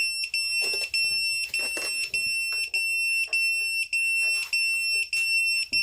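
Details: Emax Tinyhawk 1S brushless whoop: newly soldered buzzer (black negative, white positive) with added capacitors gives sharp high-pitched beeps about every half second, clean and steady; buzzer working normally.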